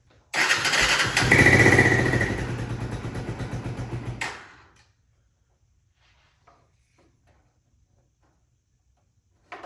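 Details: 1996 Honda FourTrax 300EX ATV with airbox tube and aftermarket air lid now fitted: fires and revs briefly, then the beat slows and fades out within seconds; the carb isn't metering at idle, so it stalls.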